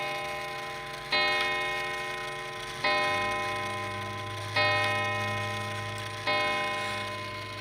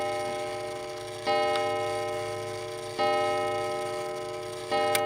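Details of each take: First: Mechanical clock before oiling: slow, weak, uneven ticking about one beat every 1.7 seconds; dry pivots, starting to wear oval and previously graphited, drag the movement. Light oil is the fix. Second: Mechanical striking clock after cleaning pivots (previously lubricated with graphite): clear ringing strikes roughly every 1.7 seconds, fading evenly, sounding better though one wheel still wobbles slightly; runs cleanly.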